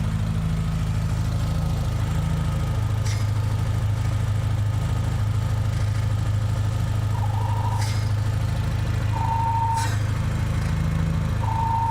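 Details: Engine at idle: steady low rumble with a thin whistle coming and going every few seconds; possible vacuum leak suspected, source not pinned down.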